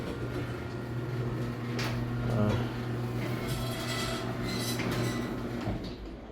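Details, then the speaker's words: Garage door opening right after the first greasing; the grease may need several runs to work in: steady opener motor hum with scattered creaks and clunks as the door travels up. The door is still very loud. "Okay. So, I'm going to run it. Whoa. Still very loud."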